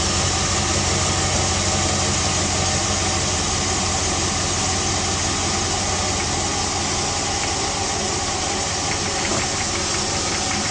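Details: Jeep WJ 4.7L HO V8 at cold startup: light uneven knock through steady idle hum, piston slap, described as normal for the HO.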